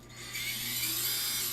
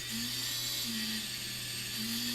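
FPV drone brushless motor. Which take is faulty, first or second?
second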